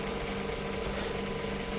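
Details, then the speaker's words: Computator CT-1000 antenna rotator with owner-built controller, momentary drive of a couple of degrees between brake release and re-engage; steady mechanical whir with fine gear ratcheting, no knocks or catches; normal drive. "so if you listen closely you'll start the brake will disengage and basically we'll drive it for a couple of degrees and then we'll stop and you'll hear the brake re-engage."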